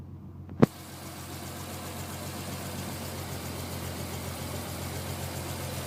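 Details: Non-turbo Nissan R33 cold start after about 2 days parked: hard crank catches sharply, then a lumpy, unevenly stumbling idle with misfire that clears after about 10 minutes warm. Coilpacks, injectors, gasket and fuel supply checked fine; cause unclear.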